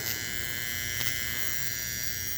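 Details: Model train bench test of a motor-on detector: the relay gives a steady thin electric buzz with faint clicks from ripple on an unsmoothed supply. Adding a capacitor stops the buzz.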